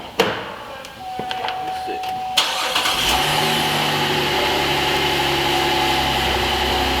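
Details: GMC Acadia after replacing leaking Y flex pipe that sounded loud like NASCAR: quiet, starter catches, engine settles into even steady idle with no puffing or ticking from exhaust.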